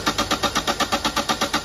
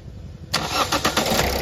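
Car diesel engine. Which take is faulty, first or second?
first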